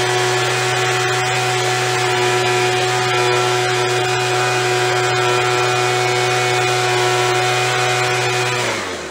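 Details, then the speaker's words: After carb cleaning, carb kit and trigger modification so throttle fully opens and closes, Craftsman (MTD) B2000 25cc two-stroke blower (had "wont stay running"): strong steady howl at speed without surging, winding smoothly down toward ~2700 idle; fixed, running normally. "settling right back down on the way that'll stay fixed but it's fixed now"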